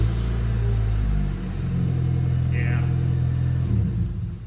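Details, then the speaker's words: 1992 Honda Accord after replacing the leaking exhaust flex connection: steady, deep engine rumble with no puffing or ticking, much quieter than before, exhaust leak fixed. "so much better job well done it looks like we had a success here"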